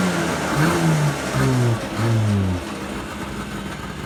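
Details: Yamaha Enticer 300 two-stroke snowmobile, year unknown, 120 psi compression per side, reportedly ran last winter; after revival it catches and revs up and down in crisp bursts, then settles lower; healthy, normal running and revving.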